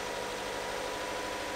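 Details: Ram ProMaster City van just after an engine replacement, jump-started from a pack. Steady, even idle with a smooth hum and no knocks or misses: the new engine sounds healthy.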